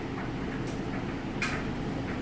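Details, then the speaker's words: Kenmore electric dryer on time dry (high heat) with jeans and towels: soft, even tumbling with only the odd light tap of falling clothes, no knocking, wobbling or thumping. The drum is tumbling normally and smoothly. "Nice smooth operation. You can hear those clothes tumbling around, but what you want to do is make sure that there's no knocking or kicking or wobbling or off balance, or all that stuff gets checked."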